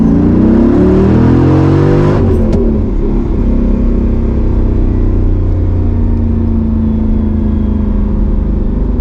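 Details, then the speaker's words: Mercedes C55 AMG, driving after a crankshaft position sensor replacement: revs climb in quick rises, then settle into a steady elevated hum near 2,000 rpm instead of dropping to idle; revs hang on deceleration, cause not yet found. "that thing is so it's revving up to like almost 2,000 RPM that has to be something that's that's something's going on"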